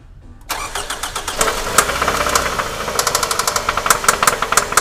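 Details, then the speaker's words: Toyota Camry 30, 2.4 2AZ-FE, 270,000 km, knocking 8,000 km after a previous overhaul, no diagnostic codes: catches and settles into a rapid, uneven metallic clatter at idle, about 200 a minute; stretched, slack timing chain. "Глуши! Как-то так. Стрёмный стучок."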